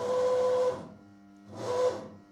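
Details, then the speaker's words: CNC milling machine after troubleshooting following errors and retuning the feed-forward values: jogging gives two clean servo whines that rise, hold and stop crisply with no stutter, clunk or grinding; the drives sound healthy. "And let's try bringing Zed up. No problem whatsoever."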